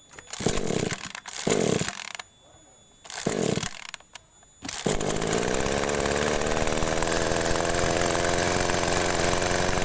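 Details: Agricultural sprayer engine, hard to start cold and previously dying mid-tank, fitted with a new spark plug: a few cord pulls, then it catches and settles into a steady, even buzz with no misfire.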